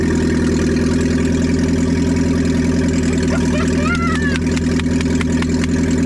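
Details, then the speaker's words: 1987 Toyota Hiace van, first start after a head gasket replacement: loud, deep, steady idle with a hard pulsing bark and no muffling. The engine runs evenly, but the exhaust is removed. "Oh, he sounds like a boat. Yeah, we need to put that exhaust back on."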